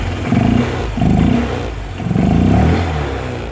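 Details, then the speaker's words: Honda Vario 125/150 with a modified open air filter: short throttle blips bring a deep hollow intake roar swelling with each rev, normal open-filter induction noise; owner notes slight hesitation when cold. "dan ada suara Open filter nya kalau kalian banget Agak ada suara Open filter nya"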